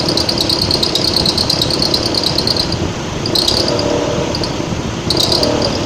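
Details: Mitsubishi ASX 1.8, warm engine, AC on, about 1100–1200 rpm in hot weather: bursts of high chirping belt squeal. Alternator lacking an overrunning clutch; fixed by fitting an alternator with an overrunning clutch.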